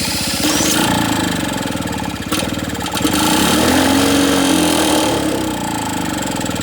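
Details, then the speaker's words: Lawn-Boy two-stroke mower after cleanup and reassembly with a new gasket; choke open, automatic throttle, fed small squirts of fuel. It fires rapidly and evenly, revving and settling, with no knocks or rattles. Runs well, quieter than the Jacobsen. "yeah so it runs that runs really well this one's actually quieter this lawn boy is actually quieter than that Jacobsen was"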